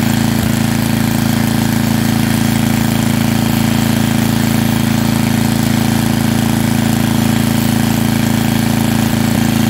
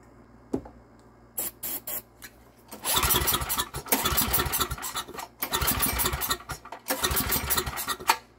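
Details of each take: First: Small estate-sale generator engine (owner guesses under 20 years old) running after taking apart the carburetor and flushing dark, years-old fuel from lines, with fresh oil; loud, steady, even hum with no hunting, popping or misses, now running nicely. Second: Estate-sale generator with no primer and good compression, won't start; pull-cord cranking, choke open, catches a second or two on starting fluid and dies each time; cause not yet confirmed.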